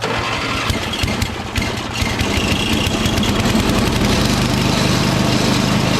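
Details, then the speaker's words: Toro 38150 snowblower with 8HP Briggs engine, drive and auger disengaged, electric start, choke set halfway: starter churns briefly, engine catches and settles into a steady, regular idle; starts and runs fine. "so i just want to see if the engine runs by itself it's got gas in it"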